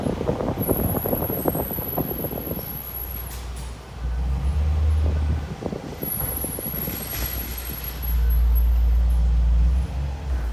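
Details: Range Rover Sport SVR, owned about 10 months and bought used: thin high-pitched brake squeal comes and goes over road rumble while driving without braking, worse when the pedal is applied; brake sticking; chamfered and lubricated pads did not fix it.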